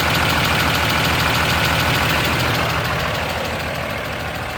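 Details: 2013 Ram 2500 6.7 Cummins, 39,000 miles, G-56 manual: fast even ticking over steady diesel idle, present at all loads and revs; excessive valve lash, some exhaust valves .032", fixed by resetting to .010" intake/.026" exhaust.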